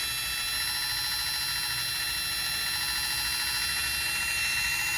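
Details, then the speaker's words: Lexus RX 350 (2016–2022) rear electronic parking brake motor powered by a 12V jumper box during pad replacement: a steady high-pitched whine for several seconds without grinding. Normal piston retraction. "So once you do not hear the motor retracting, it means it's stopped. And then you can compress."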